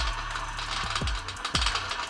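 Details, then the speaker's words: CremaLoop slow feeder on a variable-RPM coffee grinder at 800 RPM: short crunching bursts every half second or so, quiet between them, as the burrs fully clear each bean before the next drops; normal. "at 800 RPM you can hear complete grinding in between each drop"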